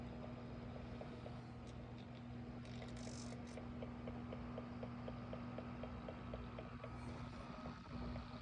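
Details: AC Infinity Cloudray S6 fan, two weeks old, humming steadily with a regular light knock throughout oscillation and a brief grinding burst when it pauses mid-sweep facing forward. It was silent at first.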